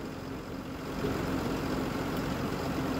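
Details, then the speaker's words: Rebuilt 2008-2016 6.7 Cummins tow truck, first start after a valve adjustment, valve cover gasket and CCV filter; engine ice cold with a fast idle while warming. It settles into a quiet, even diesel idle with a soft steady clatter and no knocks. Normal idle. "that's she's ice cold has no air little fast idle action she's warming up that gas hand works when it wants to nothing to be alarmed about"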